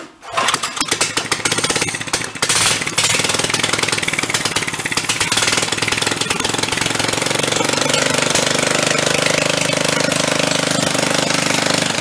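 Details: Free 13 hp single-cylinder pull-start engine on a homemade half-scale VW dune buggy (Dingo go-kart frame), primed with a squirt in the carb, fires, stumbles, then settles into a loud, choppy, rattling uneven run; clutch/sprocket suspected misaligned and loose.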